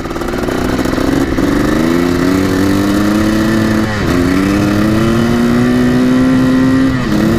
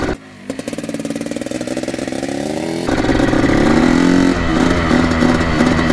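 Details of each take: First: 1984 Yamaha YZ490 two-stroke dirt bike, first test ride: loud engine pitch climbs in steps through the gears, cleaning up and revving freely; healthy two-stroke clearing out under throttle. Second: 1984 Yamaha YZ 490 two-stroke, choke off, first test ride; rapid popping climbing slowly, thick and muffled as throttle opens, boggy response; cause not confirmed.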